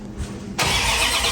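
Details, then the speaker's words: Freshly rebuilt 360 in a 1973 Dodge Dart on a new battery, cranked without spark to build oil pressure before first start: brisk, even, strong cranking with no drag. "Oh yeah, so much better. Yeah, we're starting to get oil pressure, which is funny because I didn't even realize that when I stopped, but anyways."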